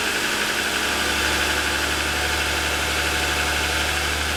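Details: 2007 Lexus ES350, parked with hood raised, cold idle: fast, light ticking rattle over engine hum; piston slap lasting about 10 minutes after cold start, louder over 2.5 years of ownership; owner suspects a design or production defect.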